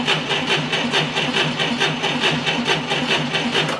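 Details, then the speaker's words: 1990 Ford Thunderbird Super Coupe with brand-new battery fitted for a no-crank problem: brisk even cranking about a beat per second, little voltage drop; normal cranking speed. "well right out of the box we can see we had very little voltage deflection audibly we had a very good cranking speed"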